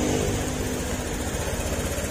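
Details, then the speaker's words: Honda Click scooter after fixing lost compression (wrong valve installed), new valve seals, reassembled. Steady, even low putter with no ticking or tapping; engine now quiet, normal idle. "At ito, tahimik na yung kanyang makina."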